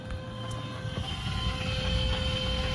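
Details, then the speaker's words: Tesla Cybertruck just back from repair: thin steady high-pitched whine from the rear over low road-like rumble, with errors for rear axle, adaptive ride, steering disabled, power reduced and high voltage system; truck later died again. "That awful high-pitched noise in the back."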